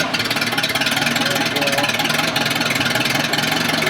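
Steady, even idle with quick regular firing pulses and no misses or knocking; outboard running clean and healthy.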